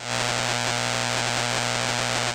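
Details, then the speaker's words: Ham SDR receiver in AM mode around 3.5 MHz: a harsh steady buzz with a repeating double pulse, broadband and flickering. Suspected power-line (utility) radio frequency interference. "If I zoom in even more, you can see that the noise is very, very broadband, and you can see that it is flickering a bunch."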